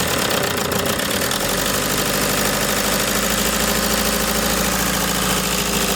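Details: Toyota HiAce diesel at idle: loud, rough idle with hard clattering knock and engine vibration.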